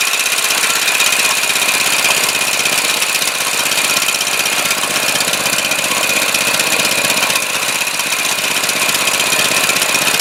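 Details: 212 cc clone small engine with a new replacement carburetor (the old one rusted inside from regular unleaded) and a cleaned fuel filter: steady, even single-cylinder running with a quick regular beat, no misses or surging; runs normally.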